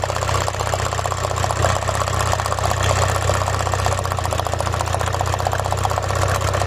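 Idle has an uneven, lumpy beat with dropped pulses and shaking under a steady drone; one cylinder is missing.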